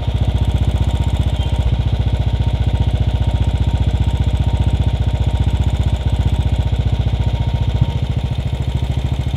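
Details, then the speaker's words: Royal Enfield Bullet Standard 500 UCE, UCD33 carburettor, idle raised then mixture screw turned clockwise to leanest point before stalling: slow, slightly uneven hunting single-cylinder thump; lean mixture idle. "so the this is the lightest that this engine can run on now what you have to do is uh if you move any any further the engine will shut down"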